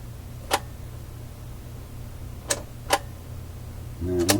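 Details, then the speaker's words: Fleetwood 660 record player changer mechanism, powered up and reject pressed: sharp isolated trigger clicks then only a brief mechanical rattle, no full change cycle follows; reject trigger fires but no rejection happens. "so we will now start it and i just reject right away i heard the reject trigger let's hear it again"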